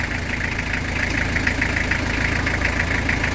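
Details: Very old diesel truck long left sitting, started on lighter gas, idling out of gear: rough lumpy idle with regular tapping knock about twice a second over the exhaust; internal knock suspected, unconfirmed.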